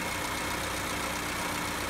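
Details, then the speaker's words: Car after adjusting the electronic idle valve's screw, idle now about 875–900 rpm; steady, even low hum with no hunting or surging. Normal idle after repair. "her şeyimizi yaptık Şu anda aracımız normal çalışma devrinde çalışıyor"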